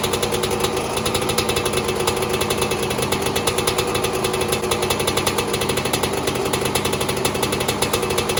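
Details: 2002 Yamaha YZ125 two-stroke, first startup after a top-end rebuild for failed rings, following an initial backfire: a fast, crisp, steady two-stroke rattle with no misses or knocks, running healthily.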